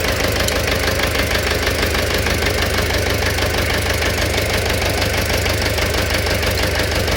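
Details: Engine knock at idle: a sharp, regular knock about twice a second rides over the engine note.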